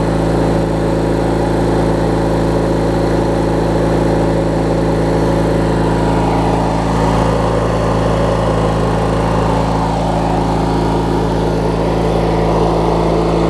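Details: Craftsman LT1000 riding mower with a swapped-in opposed-twin engine, running after refueling and restarting; steady, even smooth low hum with no misses, knocks or hunting; normal healthy idle.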